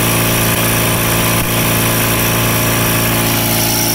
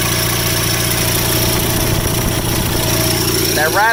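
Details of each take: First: Rare factory-built Cub Cadet garden tractor (one of 83 built), twin engine governed at 3600 rpm wide open: steady even drone at one speed, no misses or knocks; healthy at governed full throttle. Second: Rare factory-built Cub Cadet garden tractor idling; uneven metallic rattle over the steady small-engine idle from the counterweight disc on the PTO clutch, which is loose and flopping around and needs tightening: PTO clutch counterweight disc rattle.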